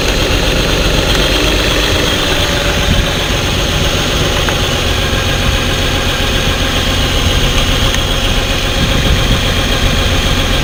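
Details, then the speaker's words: V6 with flashing check engine light and code P0350 idling with a slightly uneven beat; unplugging each coil connector changes the sound except on the cylinder with the faulty ignition coil, identifying the misfire. "aquí ustedes pudieron ver la falla claramente verla y escucharla se dieron cuenta como a la hora de que les conectaba cada conector el sonido del motor cambiaba"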